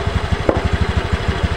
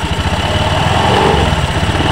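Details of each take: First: Honda Beat ESP scooter, noisy CVT block, pulls fine but rough: fast steady low thumping with coarse rough drive rumble; worn CVT rollers and roller housing among possible causes. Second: Honda Beat ESP scooter after CVT repair for a rough, noisy drive side, with the worn roller housing and slider pieces replaced; even, steady idle with a smooth putter and no rattle or grinding from the CVT; runs clean.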